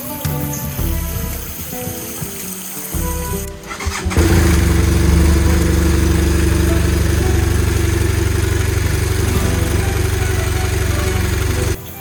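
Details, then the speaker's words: Motorcycle engine after water got in during Honduras floods, oil change with flush oil: after rough catches it fires into a loud steady deep idle with mechanical clatter; cause unclear, valve adjustment possibly suspected, no metal particles in drained oil. "Vous savez, comme je l'ai dit, le bruit est assez fort, mais parfois ce n'est pas un problème de réglage des soupapes"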